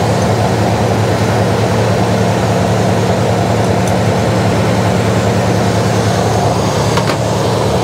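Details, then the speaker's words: Jeep CJ5 that wouldn't idle, after carb removed and a jet cleaned, timing untouched: steady, even low idle with a smooth unbroken beat and no stumbling; sounds happier. "hmm yeah that sounds better there it was more turned closer to the vlog that sounds happier"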